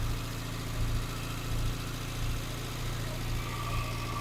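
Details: Morris Minor engine idling after 12 months in storage, air filter refitted: steady even low idle with a soft slightly lumpy pulse and no knocks or ticks; normal idle.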